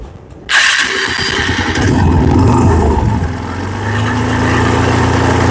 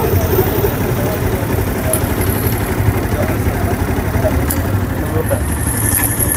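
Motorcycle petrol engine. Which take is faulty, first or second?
first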